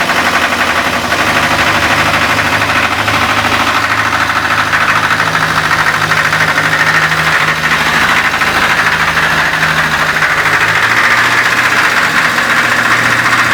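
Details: ZMZ-402 engine with choke in use: quiet at idle, but at 2000–2500 rpm a low, uneven rumble appears. Owner suspects the muffler (burnt gasket?) or possibly valves or pistons; the cause is unconfirmed.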